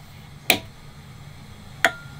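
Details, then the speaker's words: Razor electric ride-on (Crazy Cart-type) controller relay gives two crisp clicks at power-on with the two throttle-connector pins shorted by a paper clip, before the aftermarket 3-pin throttle is fitted; no click when the pins are unshorted. "hear a relay click, and whoa."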